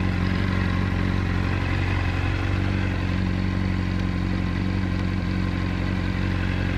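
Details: Honda 600RR at idle, cam chain tensioner replaced with APE manual unit and cam chain replaced: fast, steady mechanical clatter about four ticks a second, unchanged with clutch pulled; source not pinned down.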